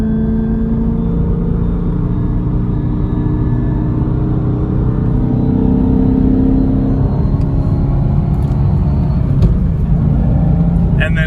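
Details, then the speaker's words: Camaro SS manual transmission, bought from dealership (dealer called it clutch): mechanical gear whine over road rumble while driving, around third gear where it is worst; silent in fourth; shop advised new transmission. "It sounds very mechanical. It just sounds like something just like sliding against each other."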